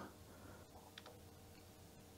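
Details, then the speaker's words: Philips VG 8235 MSX2 loading a cassette game via MaxDuino: faint soft clicks over low room hum from the cassette remote relay switching the player on and off, normal. "and i hear the clicking some relay is clicking that's uh the remote control that controls when the cassette player should stop and start"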